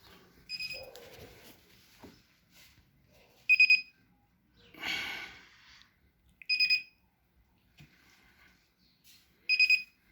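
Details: Whirlpool Duet WFW9150WW01 washer will not power on. Short bursts of high beeps about every three seconds with faint clicks between, and the machine never starts; the owner suspects a faulty control board but does not know which one.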